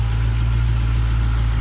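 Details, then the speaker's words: 2016 Dodge Challenger Hellcat after supercharger replacement at 4800 miles: deep, even idle burble, quieter once idling, with no whine or bearing rumble, unlike the failed blower whose bearings were audible in the cabin; normal idle. "especially once the engine starts idling even quieter [Music] which is exactly how it should be"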